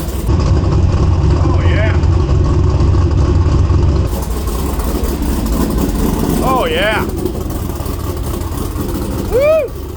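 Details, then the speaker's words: Trans Am WS6 LS1 with a big cam, idling: a deep, lumpy, uneven loping beat with all cylinders pulling and good plug wires; a normal, healthy big-cam idle. "woo she sounds Rowdy sounds good up here"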